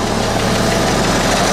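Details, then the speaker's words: 1987 International S1900 diesel truck, no glow plug lights seen on the dash, just started and building up air pressure; loud, steady diesel clatter at idle with an even beat and no stumbling or misfire; much better than before; normal idle. "that was that was a lot better than it has been wasn't it I mean that almost sounded like it was supposed to sound that way anyway"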